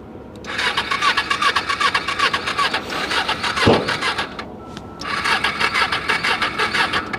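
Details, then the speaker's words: Small salvage Ninja motorcycle at a Copart yard, battery has power: two bursts of fast even starter whirring about 2.5 turns a second with a pause between, never catches; cranks but won't start. "not looking good still not looking good"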